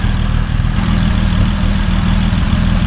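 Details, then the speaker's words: 1950 Dodge Meadowbrook L-head flathead during restoration, filling radiator with water for coolant test, 40 lb oil pressure, after electrical rewiring: deep steady even idle rumble, no misses, knocks or ticks; idling smoothly. "I mean, that sounds pretty good, doesn't it? Is that just me? My exuberance?"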